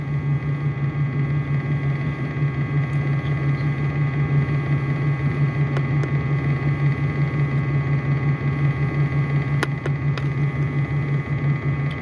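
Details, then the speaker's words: 2004 Dodge Ram 5.7L Hemi V8: steady idle with a deep, uneven lope and an occasional stumble. A bank 1 misfire at idle; seven codes are stored, including O2 sensor voltage low, heater circuit high, and fuel system rich and lean on bank 1. "I'm trying to hold this everything straight but it does have a little bit of a misfire at idle right now"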